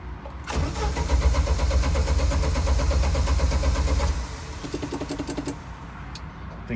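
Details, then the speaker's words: Jeep YJ with recurring stalling, no check engine light, 195 thermostat fitted, dies on pressing gas: brief uneven run fades out, then starter cranks at steady chug near three per second but never catches; crank no start. "see that's stepping on the gas and it died died it died we can't start it up again ages"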